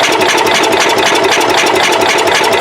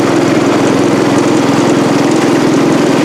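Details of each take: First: Cub Cadet 108 after the points were sprayed with brake cleaner: quick, even starter churning that never fires; cranks but won't start, no spark even though the points are opening. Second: Cub Cadet 108 single-cylinder tractor running: steady, even busy exhaust beat, no misses; healthy, though carburetor float sticks and drips fuel when shut off.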